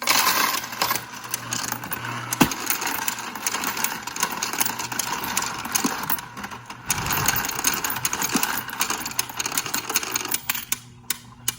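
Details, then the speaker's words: Royal Sovereign Quick Sort coin sorter after about 1 year 2 months of use, with a big handful of coins: busy clattering over the motor, broken by occasional heavy bangs; normal anti-jam function cycling. "If you guys heard that big banging sound, that was completely normal. Sometimes it does that. That's the anti-jam function working."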